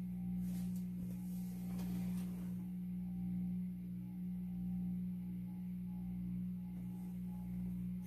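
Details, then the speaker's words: 52" Supreme Fan Mark III (Emperor) ceiling fan from an abandoned house gives a loud, steady low drone with a faint slow waver on low speed. The owner suspects a bad variable speed controller causing the noise, which did nothing when turned. "I guess the only downfall is that it's very, very noisy on low speed."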